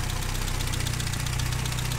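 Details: 1959 Triumph TR3A at pre-purchase inspection: even, steady four-cylinder idle with a regular beat, no deep metallic knocks, misses or stumbles; engine sounds healthy.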